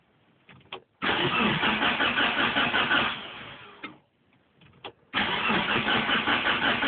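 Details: Mitsubishi Evolution with a new battery fitted: starter cranks steadily about two seconds, stops, cranks again, never fires or catches; cranks but won't start, cause unknown to owner.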